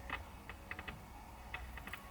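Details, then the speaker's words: 1968 Mustang speaker tested by touching its wires to a 9-volt battery. Quiet background with scattered sharp crackles and pops at each touch, so the speaker works; it had earlier seemed dead because it was earthing itself to the car. "But it is crackling, so both speakers do work."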